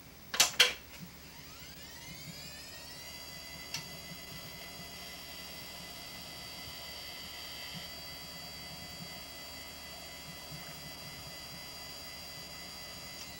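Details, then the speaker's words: Maxtor 20 GB old hard drive, described as heavily worn: a high whine climbs over about two seconds to a steady pitch, with faint hiss and a few ticks. Worn hard drive noise. "On a affaire à un disque qui a beaucoup d'usure."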